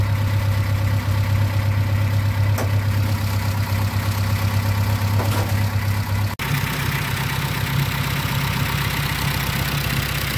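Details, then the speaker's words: 1995 Plymouth Neon after Motor Medic crankcase flush and highway drive: steady idle with subdued quick ticking, quieter than before; owner suspects rockers not pumping up from plugged passages, possibly one cylinder low on compression, unconfirmed. "i mean it does still sound like it's a little down on one of the cylinders like maybe a little lower compression still ticky but not as loud as it was"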